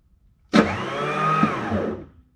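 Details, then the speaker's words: Wheeled Bobcat skid steer loader diesel with an intermittent starter fault, key cranked after the glow plugs cycled: about 1.5 s of free electric whirring that winds down. The starter motor spins but the solenoid/pinion never engages, so the engine does not crank. "no you get here starter motor turned but it's spun but we didn't have any engagement from the solenoid it rotated"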